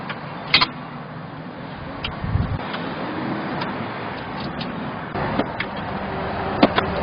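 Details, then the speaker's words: Mechron 2450 farm transport vehicle, driving: loose, irregular rattling clunks over engine drone, worse uphill and on rough roads; a broken, worn front joint part rubbing, one joint heat-damaged and short of grease; belt, gear and transmission oil fine. "이게 달건 거리는 소리가 나 거네이 덜컹거리는 소리 원인이 말이죠 이게 부러져 가지고 이게 여기 다면서 나는 소리 이거 같습니다"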